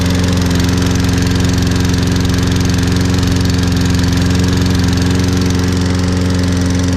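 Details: Toro Recycler 22-in model 20334, 190cc single-cylinder, electric start, auto choke, just after a January cold start. Smooth, steady drone with even beat, no misses or knocks; mower runs cleanly.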